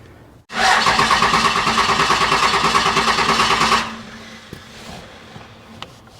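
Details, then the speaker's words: 1995 Dodge Ram Cummins 12-valve P-pump diesel, junkyard non-runner, fuel solenoid holding with 12 volts: about three seconds of steady even cranking, roughly three pulses a second, stops without firing; cranks no start, owner suspects air in fuel lines. "Oops. Must be getting the air out of the lines."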